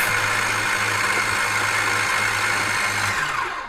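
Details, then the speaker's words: 1976 Chevy Nova drag car, rusted and sitting for years, cranked with the starter hotwired. The starter spins the V8 with an even whirring chug, about three to four beats a second, then winds down. Normal cranking; starter sounds good. "now we got our starter hotwired let's see if our starter is any good we're going to hope that it is"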